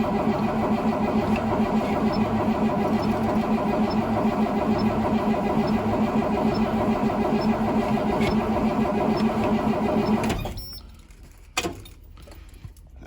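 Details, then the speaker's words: 2003 Blue Bird bus, DT466E diesel, cold start at 11°F, not plugged in, unrun for about a week; steady starter grind with compression beats about twice a second for ten seconds, never catching, cranks but no start. "right not looking too promising I'm going to give her one more shot here"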